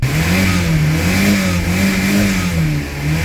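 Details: 1990 Toyota Pickup/Hilux 22RE after engine reassembly and a fix that let it start right up: warm engine revved gently, pitch rising and falling smoothly with even firing and no stumble; runs right, timing and idle adjustment still planned.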